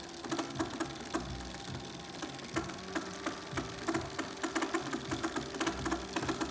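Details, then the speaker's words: Bafang BBSHD mid-drive motor returned after 600 miles: loud rattly whirring with uneven clicks, nearly two per second, over motor hum; teardown found no damaged gears or splines, source not pinned down. "I have here a BBSHD that came back after 600 mi making a lot of noise. Haven't seen it before."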